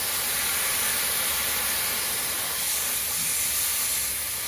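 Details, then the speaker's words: Rapid Air Weapons HM1000x air rifle, filled with air while cocked: continuous high, airy hiss with nothing mechanical; air leak, owner suspects around the regulator and later the brass valve's inner O-rings. "I'm not 100% sure where it's coming out, but it feels like it's around the regulator."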